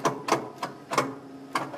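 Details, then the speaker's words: Red truck at an off-grid tiny house, jump-start attempted with a half-dead booster pack that shut itself off, sparking heard, probably at the positive terminal: only sharp, uneven clicks a few per second and no cranking; clicking no-start from a weak booster pack. "packs half dead oh yeah I think it is dead actually it shut itself off usually doesn't do that so it must be pretty much dead yeah that's not gonna work"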